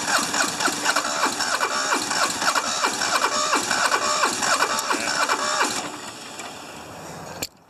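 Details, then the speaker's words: Hinomoto diesel tractor, once stuck, cold start at about 40s °F with glow plugs fed by a jumper wire, good battery: long rhythmic cranking at about 3.5 beats a second before it catches. Hard start; owner suspects injectors, compression unknown. "luckily we got a good battery this thing probably still has some pretty nasty injectors we have no idea what how much compression it has either"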